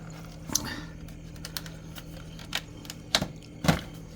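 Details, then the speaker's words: Samsung Zipel SRT686FVIS refrigerator after fix: quiet steady hum with no rattle, a few stray handling clicks; periodic rattle came from loose condenser mounting at rear, silenced by wedging newspaper between condenser and floor. "소리가 예 신문지를 축기 에 긴간 어니면 소음이 완전히 그냥 사라져 버렸습니다"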